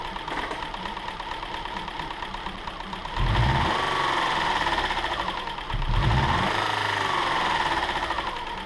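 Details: 2007 Subaru Outback 2.5 SOHC interference engine, wrecked parts car, test-fired after timing belt replacement without cooling system: idles with light busy clatter and revs cleanly twice without stumbling; runs on all cylinders, no sign of valve damage.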